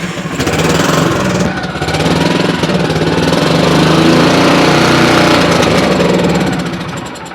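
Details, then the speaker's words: Kawasaki Mule 550 small engine, crank-no-start complaint: chugs unevenly at fast idle only on choke and stalls when unchoked; float fine, some gum on the needle, lean carburettor suspected. "Alright, so it stalls when you unchoke it."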